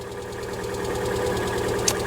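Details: 2018 Lada Vesta 1.6, 84,000 km, cold start at −32°C: fast, light, even ticking over a rough cold idle. Hydraulic lifters are still pumping up, which is normal in deep frost and can last minutes.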